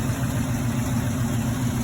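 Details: 1972 Impala donk with a freshly rebuilt motor, just started: deep, even V8 burble with a steady low rumble and no knocks or misses. Smooth, healthy idle.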